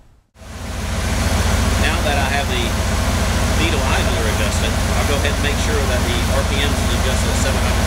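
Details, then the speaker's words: 1969 Corvette, 350 Chevy V8 with Rochester carburetor, after idle mixture screw adjustment: steady even low rumble at 750 rpm idle, no misses or stumbles; perfect fuel-air mixture. "well there you go our PN's is just at 750 rpms a perfect fuel air mixture using the needle wonderful"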